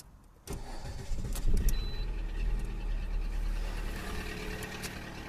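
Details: Cold start, then loose, uneven knocking about three to four times a second over a low idle rumble; engine knock from oil starvation caused by a frozen oil pickup.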